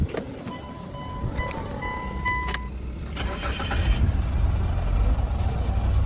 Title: No Crank No Start || Car Start With A Single Wire #shorts